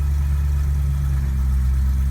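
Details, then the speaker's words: 2008 BMW M3 (E92, S65 engine) after a hard start following a tank fill-up: the third attempt starts right up into a deep, steady idle with an even beat and no misses, taps or rattles. "one third time was the charm it started right up so kind of quirks of the 92 m3"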